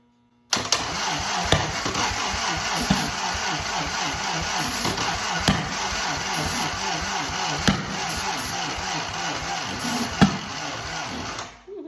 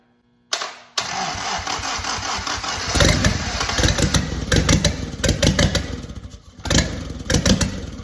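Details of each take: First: 1943 Willys Go Devil WWII engine, not run in decades, first start attempts. Steady cranking is punctuated by sharp backfire pops about every two seconds, never running. Plug leads 3 and 2 were swapped against the 1-3-4-2 firing order, and the distributor cap was loose. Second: WWII 1943 Willys Jeep Go Devil engine, decades unrun, fitted only with a new distributor cap, coil, starter and spark plugs: it catches after a brief crank and settles into an uneven but steady idle, pulsing slightly, with good oil pressure; a healthy run.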